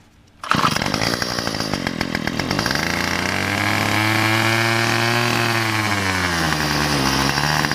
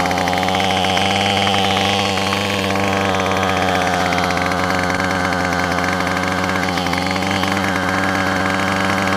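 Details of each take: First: Weedeater (string trimmer) small engine before carburetor, gasket and spark plug replacement, about half a tank of fuel: fires and revs, then sags and labors with wavering pitch, struggling to hold speed; engine bogging, carburetor problem suspected. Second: Yard Machines two-stroke weed eater that had been running rough, after its carburetor, gasket and spark plug were replaced: a steady, even buzz at constant pitch with no misfires or surging. Normal running.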